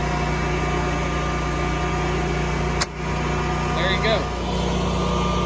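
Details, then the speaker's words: New Generac propane standby generator on auto after utility power was killed, transfer switch moving the house onto generator power: even steady engine hum with one sharp click; normal generator running. "killing power and now we wait oh good there we go running on generator power"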